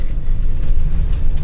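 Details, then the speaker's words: 2007 Chevrolet Express 3500 6.0L V8, after replacing flexplate, spacer and torque converter and fitting a missing dowel pin: deep, even idle with no knock from the bottom end. "so i'll show you guys what it sounds like underneath but let's see let's back this up there we go up here we go no more knocking"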